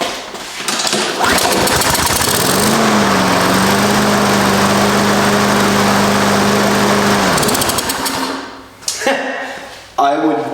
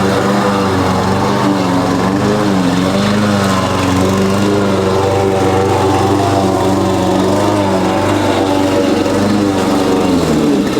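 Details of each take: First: Husqvarna push mower unused over 4 years, after carburetor cleaning and intake bolts tightened: one pull, catches immediately and runs steady and even before shutdown; dirty carburetor was the cause. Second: Husqvarna push mower after carb cleaning and oil refill (Rotella T6), mowing: steady single-cylinder drone sagging under load with backfire; deck set too low; loose blade suspected of rattling underneath.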